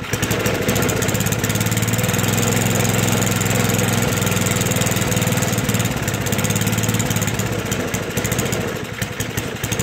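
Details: Toro 421 snowblower, unstarted for about 2 years, cold start: single-cylinder popping at a fast, slightly uneven idle, running briefly on carburettor fuel with the fuel tap shut; running with fuel valve closed.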